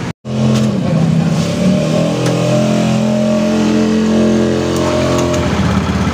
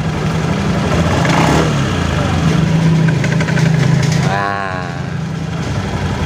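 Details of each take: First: Honda Beat FI scooter after a cheap CVT fix (a heat-resistant plastic shim plus grease) for a clattering sound at idle; now a smooth, even drone with no rattle or scraping from the belt drive. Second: Honda Beat FI scooter with rough clattering at idle: uneven rattling clatter over a steady idle, about three knocks a second; the CVT is opened and found to have worn, misshapen variator rollers and loose sliders.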